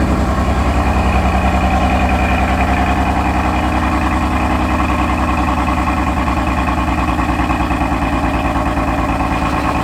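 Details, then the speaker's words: 2020 Corvette C8 (owner's car) on cold start: uneven, lumpy, shaky idle with a low pulse of about three or four beats a second; no check-engine light, cause not yet identified. "the idol is really bad it's on cold start and it's shaky shaking right now guys i don't have an engine light"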